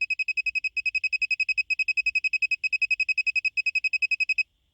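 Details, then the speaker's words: Toyota Sienna, $20 OBD key programming box plugged in with ignition on to duplicate master key: high sharp even beeps about eight per second for over four seconds; security light never went solid, programming failed. "So I plug it in, you hear the beeping sound. And now we're waiting for the security light to permanently turn on solid red. So you hear a lot of beeping."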